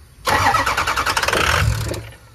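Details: 6.0 Powerstroke F350 with the MAP sensor (and VGT solenoid) unplugged and the alternator plugged back in: the engine cranks, catches for about a second and a half, then fades and dies. Won't keep running; cause not yet found.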